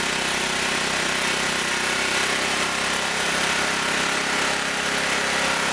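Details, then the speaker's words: Auction-bought generator running after new spark plug and adjusting screw backed off: steady even buzz at constant speed, no misfires, knocks or surging; runs and generates, frequency to be checked for 60 cycles. "Alrighty. She runs and she generates."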